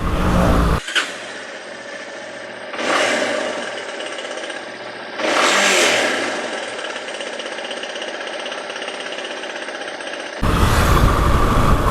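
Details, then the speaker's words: Yamaha XTZ Lander single-cylinder idle after new steering box and chain tensioner adjustment: fast, fairly regular ticking knock about three to four per second; source still unknown, to be diagnosed by workshop. "ainda ficou com barulho do motor e o barulho eu vou postar no vídeo que barulho é esse"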